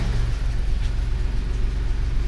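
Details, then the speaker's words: Toyota 3VZ-E 3.0 V6 in a 1988 4Runner, warm, idling smoothly around 800 rpm with low steady hum and even pulse after finding the high idle came from the idle air control valve; idle screw now lowers idle. "that right there is around 800 rpm which is what the manual says should be the standard idle"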